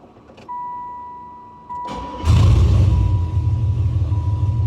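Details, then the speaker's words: 1996 Impala LS swap with a 5.3 and 4L60E, previously a no-start: the door chime pings, then a quick crank and the V8 fires right up into a steady, deep, even idle. It now starts and runs. "so yeah man that's the update on the shop the 96 is running and starting now"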